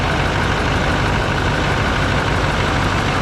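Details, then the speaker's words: 2021 GMC Denali Duramax diesel, first start after a rebuild, sat since November, with possible air in the disconnected fuel system. Steady, even diesel clatter at idle with no knocks or surging; sounds good with good oil pressure, normal idle. "it sounds pretty good obviously just needs to go through its uh Paces a little bit and get the oil flowing in there"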